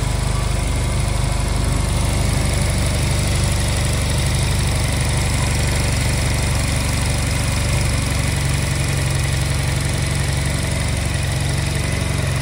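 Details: Honda Silver Wing twin after won't-start repair with new spark plugs, before idle and air synchronisation adjustment: steady, low, slightly uneven idle burble, no knocks or rattles; runs fine for now.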